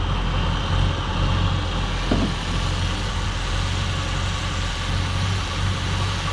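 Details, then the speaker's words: 1967 Ford Galaxie 500, 289 Ford V8, warm, during the 30-minute break-in: faintly lumpy, slightly irregular low idle beat that isn't quite settled; owner suspects the carburetor idle screws need adjusting. "Seems like maybe the adjustment on the carburetor idle screws or something needs to be made for it to idle a little bit smoother."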